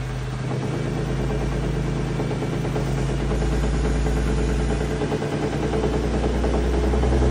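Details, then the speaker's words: 2017 Ford F150 Raptor, second-gen 3.5L EcoBoost, 84,000 miles: deep growl with low pulsing bottom-end knock when revved; rod or main bearing failure suspected, metal in oil, oil consumption. "I really think it's either a rod or main bearing that failed on here uh so let's go ahead well let you listen take a listen to how this engine sounds it's like growling whenever you accelerate take a listen"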